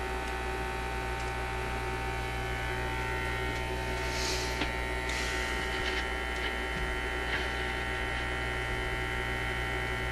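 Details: Zenith Y825 vacuum tube AM/FM radio: a steady low hum with a buzzy edge, unchanging, through the speaker after a tube is reinserted; the mains hum source is not yet found.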